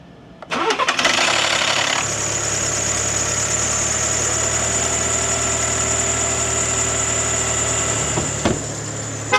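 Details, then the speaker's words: Cold start at 224,843 miles, with a known cam phaser problem: harsh metallic rattle for about a second, then steady high idle, with belt squeal. Cold start rattle. "Yeah, that's a cold start rattle for sure. And it's got some squealy noises. The belt squeal. Oh, this thing sounds terrible."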